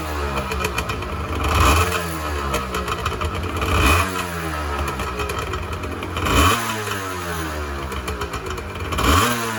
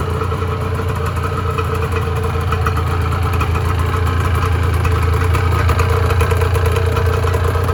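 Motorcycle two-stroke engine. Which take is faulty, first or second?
second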